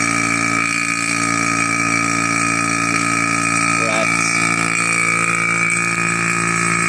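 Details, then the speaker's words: Single-stage 2.5 CFM mid-grade non-name-brand vacuum pump pulling down: loud constant drone with high whine that never gets quieter, normal running; reaches a little over -29. "right quite loud quite loud and uh and it stays this sty it does not get any quieter"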